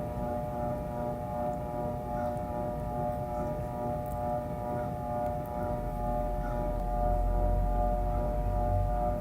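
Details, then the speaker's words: Whirlpool top-load washer on spin: steady droning hum as the motor strains and fails to start, lid locking briefly; a bad start capacitor, confirmed by testing and replaced; hand-turning the tub lets it start. "Once you hear the hum, you know that the machine is trying to start."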